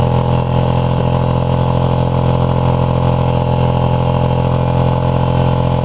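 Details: Buick 3.8 (3800) V6 blown in a crash derby, run with one connecting rod removed, a hole in the block and little oil: loud, harsh, lopsided clatter over a hard-pulsing low drone, smoking and spraying oil, lasting about a minute.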